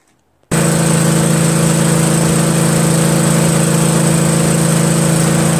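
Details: MTD Cub Cadet lawn tractor repowered with a 13 hp Briggs flathead engine after a carburetor replacement. It thumps along at a steady, even beat with no surging or hunting; normal running.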